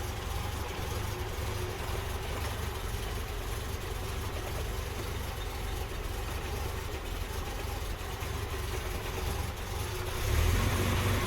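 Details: Series 1 Jaguar XJ6 with no choke, on a cold night after a hard start: deep, slow, slightly uneven idle at about 485 rpm, leans out and nearly dies if revved, alternator sounds unhappy, small rise near the end; very low cold idle.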